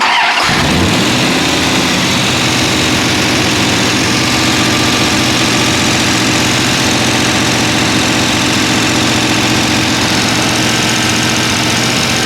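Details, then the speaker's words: Mopar 383 V8, mostly stock rebuild with timing set, catches at once into a loud, steady, even open-header idle with no knocks while checking lifter rotation; normal start and idle. "Go ahead and crank it up, Joe, and let's get a picture of all these things turning. It's loud."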